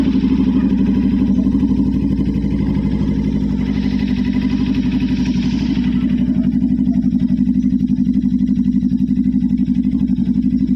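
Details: Low-mileage motorcycle started after sitting unused and uncleaned for about one to two months: steady, even putting idle at about four beats a second with no misses or knocks; idling cleanly.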